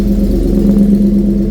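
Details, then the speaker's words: Fast cold idle right after start of a V8-swapped BMW E46, with a newly fitted alternator spinning. There is no coolant in it yet and leftover oil is still burning off. A deep, even V8 hum with no belt squeal or chirp: healthy normal running. "Woo! Alternator's spinning, that's something. That's all looking good."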